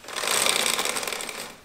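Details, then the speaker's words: Yamaha XJ6 motorcycle with worn drive chain set before replacement: fast, dry metallic rattling clatters loudly for a second or so, then fades; chain can be lifted off the sprocket. "then a worn chain set makes itself felt through higher running noises, with me it rattles quite loudly"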